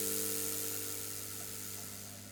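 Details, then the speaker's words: Homemade ozone generator: 11,000 V transformer, fan at one end, two mesh pieces, acrylic tube, fed from a repaired Carroll & Meynell 10A variac. Steady mains hum under airy fan hiss, easing down slightly, no buzz or arcing; normal operation. "The idea was that there's a fan at one end, there's 2 pieces of mesh and an acrylic tube. This is an 11,000 volt transformer, and you just push the air through and it fills the room with ozone."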